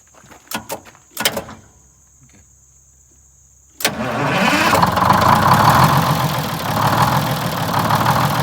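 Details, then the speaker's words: 1947 Silversides bus with Detroit Diesel 6-71 two-stroke, after governor and idle adjustments: a few clunks, then it catches and settles into a steady, smooth idle with no loping; previously lopey and vibrating. "okay so the shutdown is supposed started sounds a lot smoother it did well it's not loping"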